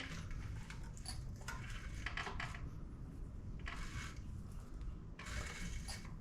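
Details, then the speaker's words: Junkyard 5.3 LS V8 with some rust, turned over by hand with a crank bolt before teardown; slow irregular gritty crunches and scrapes in bursts, rough resistance inside; owner suspects dirt in the valves, unconfirmed. "thing sounds like it's turning over it's a little crunchy probably because there's some dirt and valves or something"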